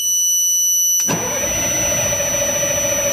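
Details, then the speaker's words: Military surplus LMTV truck diesel, batteries charged to 28.2 V, warning buzzer taped over: strong, even cranking with no firing at all. Crank, no start. "so turn it on hit the starter cranks over real nice now"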